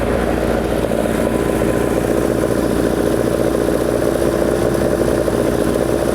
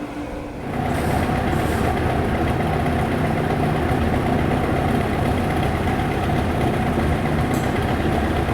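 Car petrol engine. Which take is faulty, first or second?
first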